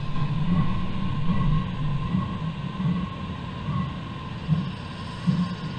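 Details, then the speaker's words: Diesel heater newly installed in an Iveco Iris bus camper conversion: steady fan hum with a faint mid tone over an uneven, chugging low rumble; running with abnormal noises, diesel pouring out the exhaust, owner suspects a faulty heater. "right when that's fully fired up fully going i'll come back to you right we now have fans kicked in [Music] i don't know if you can hear that that's making funny noises"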